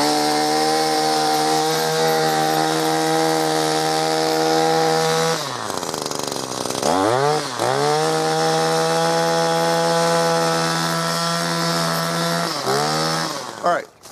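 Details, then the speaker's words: New Echo SRM-2620T two-stroke line trimmer, first start after possible flooding: high steady buzz, drops to idle and revs back up cleanly several times; normal running. "all right so as you can see the equity are did very well"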